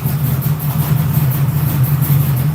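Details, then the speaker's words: Reworked GM Crate 602 ex-dirt-track V8 with dome pistons, dimple rods and Vortec heads, newly dialed in, idling: a steady, even rumble with a firm regular beat and no misses, knocks or ticks. Healthy. "She sounds good. What do you guys think? Yes. It's amazing. 10 out of 10."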